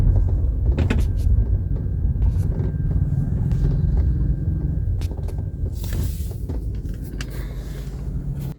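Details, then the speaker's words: 2021 VW Polo TSI at 12,900 km on a rough road: low rumble with scattered irregular clicks and knocks on bumps, a rattle the owner attributes to the doors, appearing unusually early. "कि आई हो appeal last में मैंने सुनाने की कोशिश करें तो आपको सुनाई आई होगी जो वह चूस-चूस कर की आवाज होती है या चैप्टर ऐसे मतलब जब गाड़ी रैटलिंग मुमेंट करती है"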